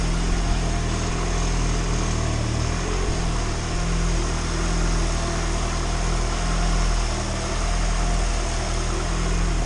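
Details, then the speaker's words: Turbo Honda four-cylinder in EG hatch after first start, cracked fitting fixed, no more valve cover smoke; even steady idle, no misfire, tick or rattle; owner suspects a tiny pinhole exhaust leak. "I think it's got a really small pinhole exhaust leak somewhere, but other than that, this thing is running smooth."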